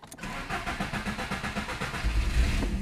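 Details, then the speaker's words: Car started cold after home-cleaning the fuel injectors, with the key cycled first to prime the unpressurized fuel rail. A brief crank, then it catches almost at once and settles into a slightly fast, even cold idle that should drop soon. It starts cleanly. "foi até rapidão a lenta boa tá frio o carro né ó daqui a pouco a lenta baixa"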